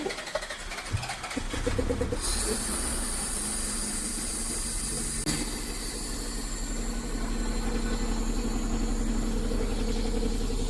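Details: JDM Toyota MR2 classic under restoration, after fuel pump work: engine cranks, catches after about two seconds and settles into a steady, even idle with no knocks or misses.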